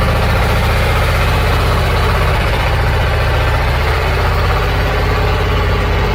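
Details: Old Caterpillar logging machine diesel after bleeding air from the fuel lines, running on its own: low steady rumble at an even idle with no stumbles, knocks or hunting; healthy idle.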